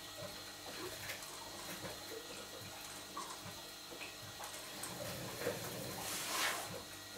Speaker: gurgling noise that you can hear is the crank shaft driven water pump returning the water back to the tank because the bypass is open